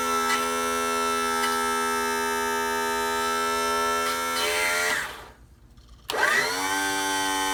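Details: 1986 35 hp Mercury outboard tilt/trim motor after cleaning stuck, dirty brushes and bleeding the system: steady electric whine winds down, pauses about a second, then spins back up cleanly, working normally.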